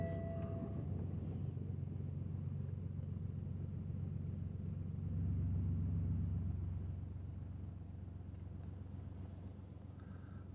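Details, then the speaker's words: BMW 116d 1.5 diesel (1 Series), idling after roadside replacement of the auxiliary drive belt (6PK 1150): low, even rumble with a brief smooth swell, no squeal or slap; belt staying on, engine running cleanly. "just let it idle for a few minutes. Make sure everything is running right and your belt is not coming back off."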